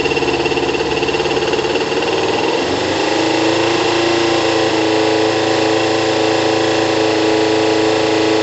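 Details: Kawasaki ZL600 on a cold start after carb rebuild and balancing, valve clearance adjustment and new OEM-quality coils, about 3 L of fuel on reserve: idle eases into a smooth, even hum with no exhaust puffing or hissing. Sounds healthy.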